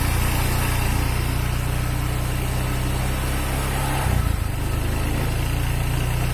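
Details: Honda Vario 125 injection scooter that is hard to start: a heavy, uneven, lumpy rumble with a brief stumble; the piston is worn loose in the cylinder block, giving a rough engine and weak compression.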